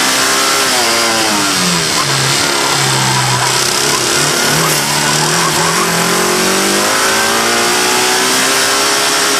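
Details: Loud, harsh engine rising and falling through the revs, recorded by an engine-bay microphone, with a hard metallic knock on its rhythm; first suspected a bad lifter, but it was a rod bearing and cracked crankshaft.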